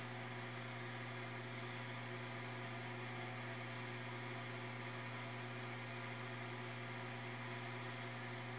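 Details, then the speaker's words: Newly bought automatic egg incubator on its first test, warming to about 27 °C; light steady low hum with a soft airy whir that stays even, the fan running very quietly and normally. "então quer dizer ela está fazendo barulho superleve"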